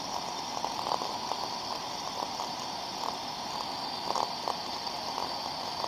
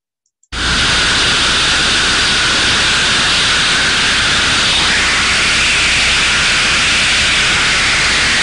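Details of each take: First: Ultrasound recording of a thermodynamic disc steam trap: soft steady hiss with faint intermittent crackles, two openings in 20 seconds, within the normal 2–10 per minute, no blow-through; good working trap. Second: Ultrasound recording of a failed steam trap: constant unbroken rushing hiss, continuous flow with high turbulence, not modulating open and closed; trap failed open, blowing steam through.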